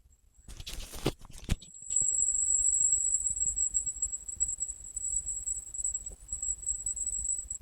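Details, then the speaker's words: Home-built 5E3-style valve guitar amp with an old 5Y3 rectifier putting out 10–15 V less than a new JJ 5Y3: thin, steady very high-pitched whine over faint hiss; owner suspects the rectifier is near end of life. "Weird noise there. That is why I don't use five new fours cuz they make the same noise as that."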